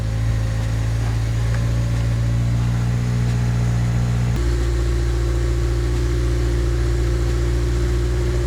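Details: 2002 Honda Civic Type R JDM EP3, lightly modified with bolt-ons. A steady low idle steps up smoothly to a higher, even drone with a deep exhaust note; runs clean, though the starter was noted making a scratching noise at start.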